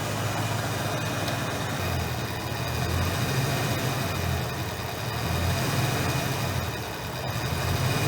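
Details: 1989 Fox Body Mustang 5.0 V8, just fired up after water pump replacement: steady, even V8 burble at idle with a smooth low rumble, no knocks or ticks; normal idle.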